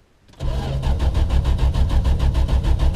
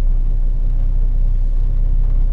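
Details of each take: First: 1974 Valiant, first cold start after sitting since August in cold weather: steady cranking at about three turns a second for nearly five seconds without catching; a long, hard start, slower than after two years on jack stands. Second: 1974 Valiant, settled after a cold start following months sitting in freezing weather, temperature gauge not yet off the peg: low, steady even idle with no misses or knocks; normal idle.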